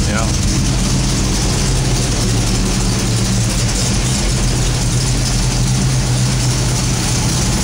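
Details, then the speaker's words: Freshly rebuilt 1969 Pontiac GTO Judge Ram Air IV V8, factory specs, balanced bottom end, Ram Air IV cam, first start-up in a 68 GTO rolling chassis indoors; steady deep regular burble, no knocks, ticks or misses, healthy. "that's a ram air 4 camshaft I did it that's music to my ears"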